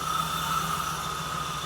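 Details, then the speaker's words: 1979 Jeep CJ-5, first start after sitting 29 years: steady low idle with an even pulse and no valvetrain ticking, plus a thin high whistle from a vacuum leak. "I don't even hear any ticking."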